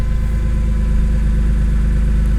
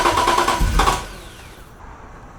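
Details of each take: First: BMW E46 M3 after cleaning: smooth, even low idle with steady beat, no hunting, versus its usual up-and-down first-start idle; normal idle, no check engine light. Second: BMW E46 M3 after throttle body cleaning to fix rough idle, throttle lag and cold-start trouble: long crank, stumbling catch, uneven revs, then shaky idle; hard starting and rough running after reassembly, cause unclear.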